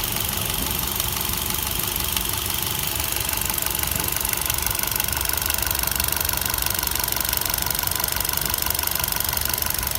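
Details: 2016 Kia Picanto 1.2L petrol with only 31,000 km: steady light ticking of about four ticks a second over the idle hum; the owner asks what the cause could be. Engine ticking at idle.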